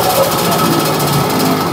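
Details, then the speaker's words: Yamaha RXZ two-stroke, owner-built engine with a mini coil/magnet and Catalyst CDI ignition: a fast, rough, rattly buzz held at high revs whose pitch barely climbs; it is slow to rev up. "Masalah beauty pun nak naik ya. Lambat naik beauty ya."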